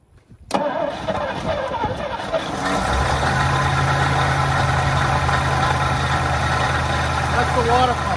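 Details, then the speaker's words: 1963 Studebaker Lark Wagonaire parked 39 years, starter health uncertain: old engine fires after a few cranks and settles to a steady idle with a faint noise from the front; water pump suspected, not confirmed. "all right is that noise Richard coming from uh up around the might be the water pump water pump"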